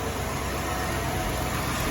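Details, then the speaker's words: Impala SS V8 idling after coolant added, not yet hot, owner unsure if smoke is an exhaust leak or burning degreaser: steady even low rumble, no knocks or misses; normal idle. "She's purring like a kitten. Impala is almost ready for the road."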